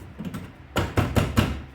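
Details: Volvo V70R (P80 850/V70 wagon) hatch: four quick hollow knocks on the plastic hatch panel, which rattles loosely because its retaining clips are broken; being fixed along with the faulty hatch latch.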